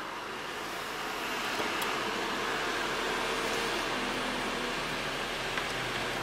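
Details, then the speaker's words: Audi A6 C7 sunroof after overhaul and cleaning: soft even motor hum while operating, previous squeaking gone, noise fixed. "네. 깔끔합니다. 작동 시 소음 해결 완료."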